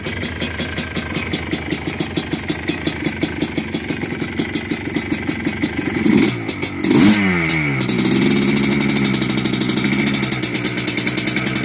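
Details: 2001 Yamaha Blaster, first start after engine build: crisp, regular two-stroke popping at idle, two quick throttle blips, then faster steady idle; runs clean and even.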